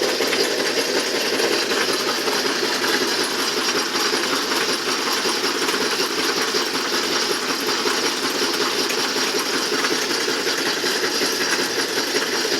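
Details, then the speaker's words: Can crusher machine after screw-on bracing of its frame to stop wobble; steady even mechanical clatter at about two beats a second, no surging or knocking; runs stably without wobble, though the pulley still wobbles. "you can see, there's no wobble. Even though the pulley is wobbling, but as we can see, no wobble."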